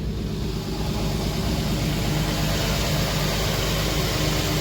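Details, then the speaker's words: Infiniti FX35 after replacing the squeaking drive belt with a new Continental belt (old one cracked and dry): smooth, even idle with a steady low hum and no squeal or chirp; normal idle. "Ну вот теперь мы видим, что всё стало на свои места. Новый ремень, соответственно, новый звук."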